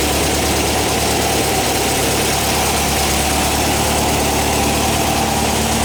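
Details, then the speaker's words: 1959 VW single cab pickup, newly fitted air-cooled engine warming up after start: steady, even idle with busy fan-and-valvetrain clatter, no misses or knocks; normal, healthy running. "Sounds good. Let it warm up for a minute."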